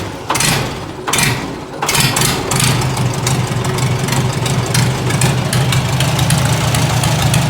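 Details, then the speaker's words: Farmall Super A four-cylinder tractor at cold start, readied for garden season with a little choke: catches after a few cranks and settles into a steady, even idle with no knocks or misses; runs healthy. "Like a champ. Like a champ. Fire right up. A little bit of choke. All right, she will run."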